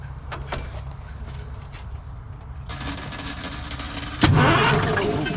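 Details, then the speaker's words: 1973 Freightliner cabover diesel truck, long parked with a suspected oil or water leak, hooked to 24 volts: low, lazy cranking for a few seconds before it catches and roars; the owner suspects a tired starter. "think our starter is getting a little bit tired there well she runs"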